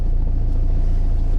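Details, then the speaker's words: 2003 Citroen C3 1.4 HDi diesel just after starting: a steady low rumble with even firing and no chuffing or ticking. Nothing out of the ordinary, and by the sound of it not an injector seal problem. "A little bit of noise, but is it chuffing? No? So usually if the inject seal's gone, as soon as you start it, chick. Horrible. You can see it straight away, but nothing really out of the ordinary."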